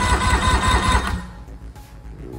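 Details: 2006 Evinrude E-TEC 90hp outboard on engine stand, sat for a long time, cranking on third cylinder's compression test: even starter chugging about five beats a second, uniform strokes; compression about 110-115 psi, healthy.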